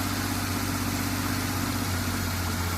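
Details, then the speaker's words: 1974 Triumph TR6 six-cylinder, revived after about four years sitting, idling while warming with choke off; smooth, even idle with steady low hum, no knocks or misses; running well, alternator charging; normal idle. "it's running and it's running pretty damn good"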